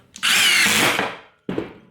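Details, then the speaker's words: Impact driver driving a screw: short high whir turning to a rapid rattle as the impact mechanism kicks in on sensing resistance, then a brief final burst. Normal impact action under load. "do the exact same thing and you can hear that impact kick in as soon as it starts sensing resistance"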